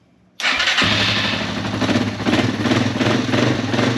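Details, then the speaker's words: Yamaha XT225 dual-sport single, serviced for a mystery oil leak, started on a temporary tank with about 1/4 quart of gas: fires instantly into a crisp, steady idle with no misses; slight blow-by that goes away when revved, normal healthy cold start. "Bike just runs so good. Let's let it warm up a little bit, and I'll blow some of this water off of it, and we'll keep an eye on everything really good."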